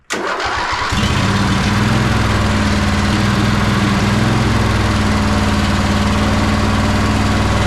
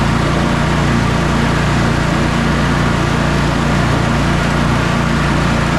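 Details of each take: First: Sabre by John Deere lawn tractor twin-cylinder engine after carburetor cleaning, on a junkyard starter: starts and settles into a lumpy, stumbling beat; right cylinder not firing though spark present, plug cold, traced to a clogged carburetor port. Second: Sabre by John Deere twin lawn tractor after carburetor repairs and a new starter, final test drive: even, steady drone with no misses, knocks or rattles. The test mow went perfectly and the engine runs great.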